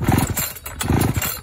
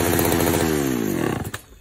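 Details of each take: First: Vintage Pioneer P41 66cc two-stroke chainsaw after a carburetor kit rebuild pops in uneven bursts at low idle, catching and running on its own; jets still to be tuned, but it is a runner. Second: Vintage Pioneer P41 66cc chainsaw after carb rebuild: revs up, then pitch sags and breaks up at full throttle instead of screaming clean; bogging, suspected lean mixture.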